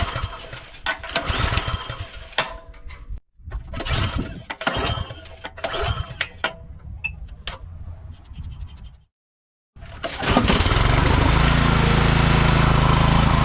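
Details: Craftsman snowblower small engine, sat two years with old fuel, bowl drained and fresh gas added, choke turned off: several rough pulls and brief stumbles, then it catches and settles into a steady, even run; running properly.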